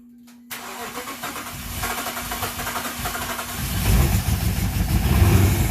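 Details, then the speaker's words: 2014 Dodge Charger 5.7L, after fixing the cam sensor air gap and plugging all coils back in: it cranks and catches, then idles with an uneven, stumbling lope and a missing beat; one cylinder is still dead. "all right it's just that Idol [Music] you can hear it running out but there's a dead hole I shut it off"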